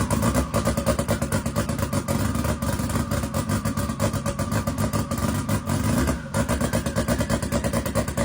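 Engine running with a fast, uneven pulse and occasional dropped beats just after start-up, which suggests rough running, possibly a misfire.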